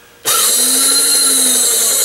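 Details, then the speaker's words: Bestline AL-500P milling machine power feed, before repair, rapid traverse button pressed: small motor spins up at once to a high steady even whine; rapid traverse works despite faulty speed-control dial. "but if I push the rapid transverse button that's what I learn it's called because it says it right here"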